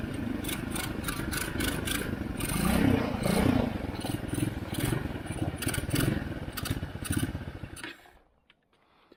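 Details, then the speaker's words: Chinese ATV revived after seven years sitting, idle deliberately set low so it dies on its own since it lacks a stop button and brakes: lumpy idle sags and sputters for several seconds, then stalls completely. "So I set the idle a little bit low so it dies out on its own, which I think is smart as long as I don't have a stop button or brakes."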